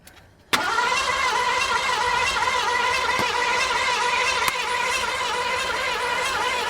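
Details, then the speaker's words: 1986 Ford Bronco cranked again with starting fluid in the intake: steady starter whirr, about four beats a second, never fires; owner suspects no spark, unconfirmed. Crank no start. "Stop. All right. Might not have no spark. I thought I was getting spark. Don't sound like it."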